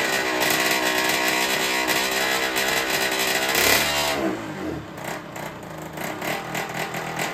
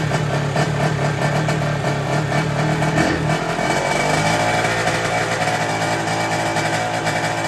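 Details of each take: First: Derbi 50cc two-stroke with freshly fitted 70cc MK cylinder, just started: buzzy revs that drop and stumble at low speed, hunting and popping instead of clean idle; owner suspects the carburettor, cylinder confirmed fine. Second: Derbi 50cc two-stroke after fitting a 24 Polini carburetor and fixing an exhaust leak: steady buzzing at high revs, dipping and pulling back, even and clean with much less rattle, no leak.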